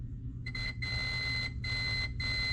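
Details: Semi truck injector harness after splicing and heat-shrinking a repaired wire: clear high-pitched multimeter continuity beeps in short bursts over a low hum; the previously dead pin now reads good, all four injector pins pass.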